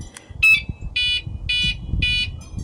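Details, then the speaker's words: Three even high-pitched beeps about half a second apart from an aftermarket catalytic converter anti-theft alarm warning of weak batteries after eight months on the original alkaline AAA cells. "but um it's been eight months and here what it sounds like when the batteries is uh weak see"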